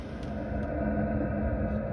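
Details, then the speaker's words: 2 kW Chinese diesel heater DIY-fitted in a VW T4 camper, warmed up: steady low fan-and-burner drone with no surging, exhaust running clear, fuel pump much quieter with light tapping, no leaks, warm air output. "the exhaust running clear now the pump's A lot quieter and we got lovely warm air"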